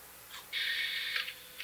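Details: Tascam 122mk3 cassette deck before rebuild, leaf switch activated: loud, high whirring grind lasting under a second as the transport engages, then light clicks; motor runs but mechanism is noisy.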